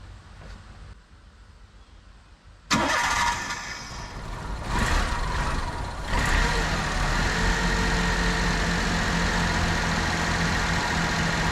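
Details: 1996 Mitsubishi Minicab kei truck after new plugs, wires, rotor and cap: quiet until the starter catches, then fires cleanly and settles into a steady, even idle with no misses or knocks; runs smoother after the change.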